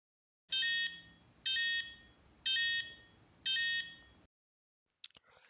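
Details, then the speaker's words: FlySky FS-i6 transmitter at power-on: four sharp high beeps about one per second, a switch warning with throttle down and all switches up, caused by internally broken switches B and C; fixed by replacing them. "Switch B and C are looks to be internally broken. That's causes this warning."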